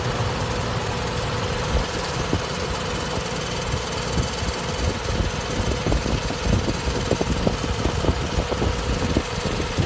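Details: Nissan 300ZX Z32 at idle a week after a timing belt replacement: faint, continuous, dry light grinding, only at idle and unchanged with acceleration; caused by a loose timing cover bolt bushing, since fixed.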